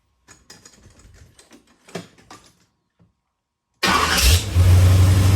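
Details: 1981 Corvette small-block Chevy V8 first start after replacing an oil-leaking distributor and cap, timing at 12 degrees: a few seconds quiet, then catches and settles into a loud, even low rumble with no misfire or knock; normal idle.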